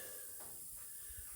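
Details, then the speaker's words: Car tyre after a broken-off pop rivet was pulled from the tread: a steady, sharp hiss of air escaping from the small hole. Tyre puncture air leak. "Now you can hear the air leaking out of there quite clearly now. So there's a little hole there that we're going to fix up."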